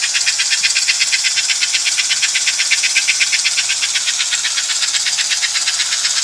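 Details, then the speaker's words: American Flyer #326 Hudson toy train locomotive from about 1954 during restoration, after checking side rods for binding: high even buzz pulsing steadily, about 160 beats a minute, no catch or drag; mechanism running free at full speed. "When you hear that buzz, that means an engine is moving as fast as it can, and everything's free, and it's doing what it's created to do."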